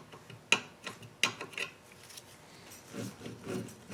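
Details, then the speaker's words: Dixon lawn mower, hub turned slowly by hand; irregular light scrapes about once per turn as the brake drum rubs, catching on the top side. "okay it's actually hitting on the top top one"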